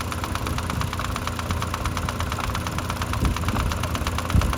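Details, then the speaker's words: 2005-2010 Mk5 Jetta 2.5L at idle, heard through a homemade funnel stethoscope at the vacuum pump by the timing cover: light, quick, even ticking that began about 3,000 miles ago; owner suspects the vacuum pump, not confirmed. "you can slightly hear the ticking coming through the cone now I'm not positive nor certain that's where my sound's coming from"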